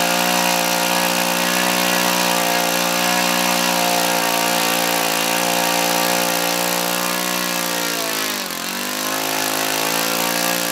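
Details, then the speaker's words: Laser 100 single-cylinder four-stroke RC model engine, first run after 15 years; high buzzing with a metallic clatter, sagging near the end; the front housing worked loose, causing knocking and low rpm. "I could turn it over the wall steel compression but definitely had a very metallic clanking and knocking sound where it didn't before"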